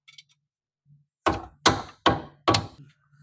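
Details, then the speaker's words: Maruti Alto front brake, rough-road clunking: four hollow knocks in quick succession, about two per second, as the caliper is rocked; often mistaken for suspension noise but caused by worn, loose caliper guide pins, fixed by replacing pins. "ஏன்னா இந்தா நிறைய பேர் இதுக்கு நம்ம வந்து suspension நாய்ஸ்ன்னு நினைப்போம் ஆனா suspension noise கிடையாதுங்க இந்த கேலிப்பர் பின்னனாலதான் இந்த நாய்ஸ் வந்துகிட்டு"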